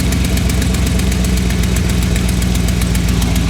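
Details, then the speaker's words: 2011 GMC Sierra 1500 swapped to a 6.2L L92 V8, after a full-throttle pull: sharp, even tick about eight per second over a deep idle; exhaust manifold gasket leak, likely the right side, cheap gaskets likely blown. "So you can hear that tick. Definitely got a bit of a leak on the exhaust manifold here."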